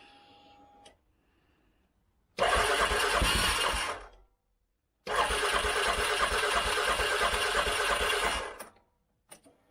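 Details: 2013 CFMOTO Z Force 6 after fuel pump change, fuel pressure now 45 PSI, fuel filter primed: two bursts of rapid starter cranking, engine spins freely and fires; fuel delivery now sounds fine.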